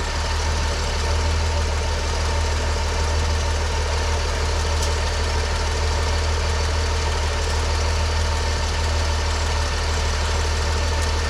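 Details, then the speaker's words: 1981 Ford work truck with a slightly worn 4.9 inline six converted to a two-barrel carb, just after PCV valve and grommet replacement: a low, even idle with no misses or knocks, sounding healthy. "Let's start it up. I'll rumage for a cap and you can listen to the wonderful purr of a slightly worn out 4.9 engine."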